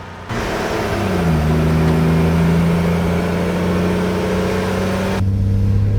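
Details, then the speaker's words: Old Chevy truck after HEI distributor swap troubleshooting, misfire fixed so all cylinders have spark, oil pressure good, no knocking: engine climbs smoothly to about 3,000 rpm with even, clean drone and no stumbles; normal acceleration. "Oh yeah, she's clean all the way up. That was only like 3,000 RPM. It feels like so much though."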